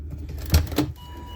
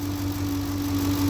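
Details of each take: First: 2007 Ford Expedition 5.4 Triton V8 after an alternator replacement, no battery light: even, steady idle hum, the earlier grinding is gone; a slight ticking remains, which the owner suspects is a loosening rear spark plug. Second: 2007 Ford Expedition 5.4 V8 at idle; a steady grinding whine from the alternator bearing, with the battery light coming on even after a new battery; alternator needs replacing.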